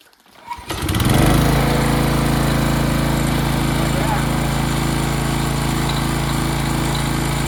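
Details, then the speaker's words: Craftsman brush mower, probably early-to-mid-2000s, sat 3 years, carburetor cleaned, old oil not yet changed: catches after a brief pull, settles into a steady, even drone with no misses or hunting; runs healthy. "well that's perfect runs great what more can he ask for"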